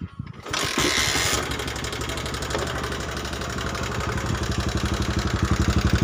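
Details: Honda Megapro New 150cc engine restarted before top-end teardown: coarse, uneven thumping idle that grows more pronounced, with heavy smoke like it is smoking and severe oil leaks; worn piston and valve guides let it burn oil.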